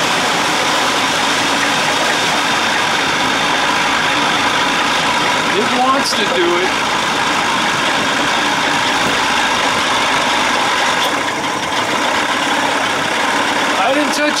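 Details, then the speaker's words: 1979 Evinrude 55 hp outboard in neutral with the idle screw turned well in, after a reed inspection, compression test, intake gasket sealing and the original carb refitted: steady high racing rpm that never eases back to idle. Owner suspects the float needle is not seating and sucking gas; unconfirmed. "i can i can tell by that noise float needle not seating sucking gas"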